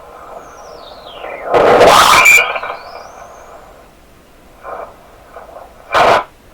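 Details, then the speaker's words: Heathkit SB104A transceiver while aligning D board coil L406 on the 28.0 band: sweeping whistles and loud hissy bursts come and go over a quiet hiss; unexplained noises, cause unknown. "It's pretty loud in here too. Man. I don't know what to make of those sounds."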